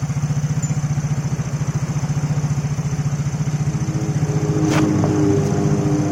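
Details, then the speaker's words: Yamaha Mio J scooter just restarted after ECU repair: even quick idle putter with a slightly noisy hiss because an air hose was left unconnected, intake air leak noise. "Ini suara mesinnya agak berisik karena nih selang di hawa ini juga nggak dibawain ke sini, ini nggak tahu tinggal di sana."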